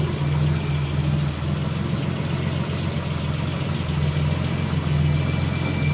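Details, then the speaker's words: Nissan Z31 2+2 at idle just after installing a new home-built 3-inch downpipe: steady, deep idle rumble with an even low beat and a slight blip near the end, no leaks or rattles, not much different from before; normal idle. "all right well i got the downpipe installed got everything hooked back up so let's fire it up see how it sounds not much different"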